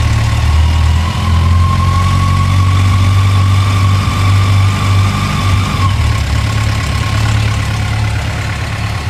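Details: 2006 Yamaha FJR1300 warm idle, even beat with a faint light top-end tick that appears after warm-up; cause not pinned down.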